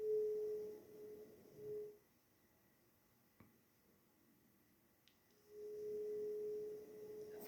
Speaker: Entra aire. Afuera hace un frío bárbaro. Hay viento. Ese viento está tocando ese instrumento flexible que ha dejado el electricista, que está arreglando toda la conexión de la casa, que tiene una conexión antigua.